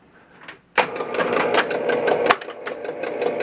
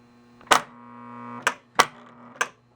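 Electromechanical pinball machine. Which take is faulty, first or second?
first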